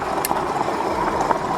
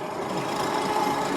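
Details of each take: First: Super73 S2 e-bike on a test ride after swapping broken stock front forks for Bolany air forks set to 118 psi: steady motor whine and tyre hiss, no fork rattle; quiet front suspension. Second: Super73 S2 e-bike riding after swapping to aftermarket front suspension forks: quieter with no fork rattle, but a steady scraping hiss with faint ringing from brakes rubbing, needing adjustment.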